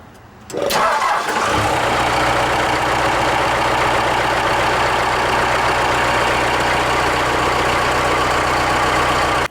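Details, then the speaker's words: Cummins 4BT diesel at oil change, about 5,000 miles, after running gear lube in the oil, cold weather; fires after short crank and clatters into a busy idle with a rough knock under the combustion rattle, cause not pinned down. Engine knock at idle. "it's still knocking but man it sounds great"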